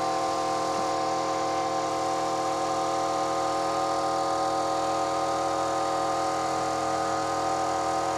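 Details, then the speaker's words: Kraftdekker KD-50L compressor filling its 50-liter tank, reaching 8 bar in about 3 min 19 s: steady even motor hum with constant high whine, no knocks or rattles; normal running. "now what i'm going to do is i'm going to turn it on and we'll see how long it's going to take for the 50 liters canister to be full then i'll be back"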